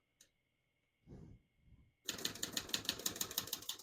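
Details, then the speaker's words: Serviced 1968 Olivetti Lettera 32 manual portable typewriter on single line spacing, crisp even key strikes about three per second, no skips or sticking: normal typing. "As you can see, all the keys type nice and none of them skip or stick."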